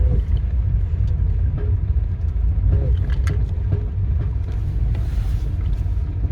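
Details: 1997 Nissan Micra K11 1.0L at low speed: low road rumble broken by sharp clunks and a jerk when the gas pedal is briefly pressed while accelerating.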